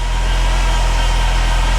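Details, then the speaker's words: Saab 9-3 Turbo restarted after a Liqui Moly engine flush and oil refill. No engine rattle and the oil pressure light is off. A thin steady whine rides over the idle: power steering pump whine from low fluid, topped up with CHF11S. "Here we go. Uh-oh. I hear a power steering whine, but it's not rattling."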